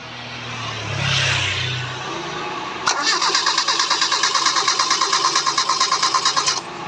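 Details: Engine cranking, starter churning about three times a second for several seconds but never catching; hard starting from a dirty distributor and worn carburetor, fixed by distributor cleaning and carburetor overhaul.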